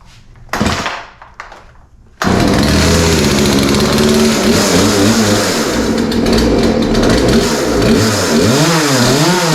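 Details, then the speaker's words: Poulan 3314 chainsaw, started with primer and choke-set part throttle after a couple of pulls; catches and runs crisp, revving up and down cleanly with no stumbles: healthy running. "that sounds pretty good going to set the throttle again"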